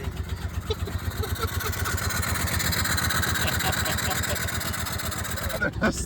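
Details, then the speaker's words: Mini truck with the check engine light on: rough, uneven idle with lumpy pulses about four a second and stumbling beats. A bad misfire; cause unknown. "The motor cuz it misfired so bad."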